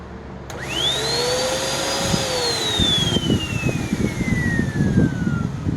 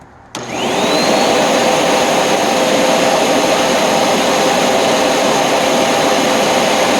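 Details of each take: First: Curb-found Hoover NanoLite vacuum first switched on untouched; the hose behaves oddly and a clog or obstruction is suspected. Motor spins up with climbing high whine that then sags in pitch under choked suction: clogged airflow path. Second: Curb-found Hoover NanoLite vacuum motor run on about 121.5 V while checking current draw, belt burnt and broken; wind-down a bit long but motor shows no serious damage. Snaps on to smooth steady high whine, then winds down: normal motor run.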